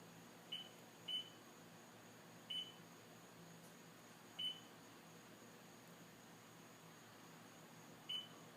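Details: STX15F watercraft (runs hot, won't start): high short beeps at irregular intervals a few seconds apart with the battery disconnected and ignition off. An electrical warning; a bad voltage regulator is suspected, not confirmed.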